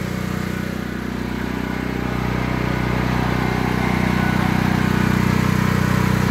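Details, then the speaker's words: Predator 8750 generator in a ventilated shed, over two years old, full gas tank, exhaust fan running: even, steady drone with no surging or knocking, running smoothly. The shed reduces the noise somewhat. "And there it's running. This shed does a lot of help with the noise cancellation. I mean, it's not completely making it quiet, but it is helping reduce some of that noise."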